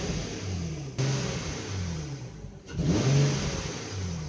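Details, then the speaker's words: 2006 Infiniti M35 after misfire repair, two clean throttle blips with revs rising and falling smoothly, no stumble or miss; engine healthy, misfire fixed. "this car is completely fixed so there's no there's no issues I'm totally confident"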